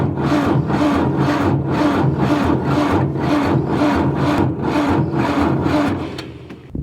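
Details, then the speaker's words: Ford 555 backhoe diesel cranking at about 20 degrees after new aftermarket injectors were fitted and the fuel system bled: slow, labored cranking at about two compression strokes a second, each dragging and fading, as the batteries wind down and get low. "it is chilly today like 20 degrees and you can hear the batteries winding down and getting pretty low on us"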